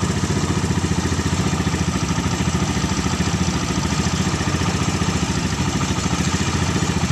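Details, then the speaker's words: Suzuki Carry 1000 pickup with a Thunder 125 motorcycle engine, on an exhaust header bent rearward into a small pipe to keep it quiet: an even, quick idle pulsing about 3.5 beats per second with a soft exhaust note, steady and smooth. "Nah, bagaimana teman-teman? Masih suara motor kan? Ini knalpotnya ee yang di pangkalnya itu ya."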